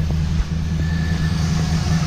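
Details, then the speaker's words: Customer car with previously modified V8 (heads, cam), freshly finished build: low idle that surges and dips unevenly, a rough hunting idle; car needs tuning. "go ahead and shut her off she definitely needs tuning guys you can tell by a little bit of an idol issue that we have we are going to have to tune this car"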